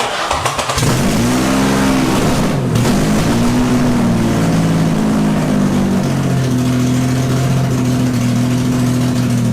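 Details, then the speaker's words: Cammed full-bolt-on Infiniti G35 V6, first start after crash rebuild: cranks, flares, then slightly uneven wandering idle; code and data log showed exhaust cam bank 1 out of timing by -45 degrees. "once I hooked up the computer to it and read the codes, I did see that exhaust cam bank 1 was unfortunately out of time."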